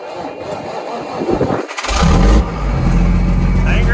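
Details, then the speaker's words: Semi truck diesel (FLD/Argosy project) cold start: brief crank, catches at once and settles into steady, even idle with no misses or knocks, left to warm up; normal cold start and idle. "Dang right it will. Oh, baby. Woohoo! All right, we'll let that thing warm up."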